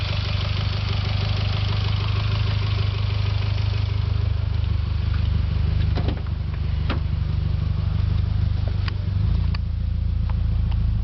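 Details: Mitsubishi Lancer Evolution X at steady idle with a light, fairly even tick about three a second over the engine note; source of the tick not pinned down.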